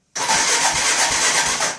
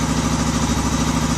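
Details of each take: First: Odes 400 4x4 ATV that had not run in a couple of years, rockers adjusted, timing slightly off, spark, compression and fuel present: two fast whirring cranks under two seconds each with no firing; cranks but will not start. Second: Odes 400 4x4 ATV unused for years, after rocker adjustment and fixing a no-start: even, steady idle with regular firing and no knocks or misses; runs smoothly.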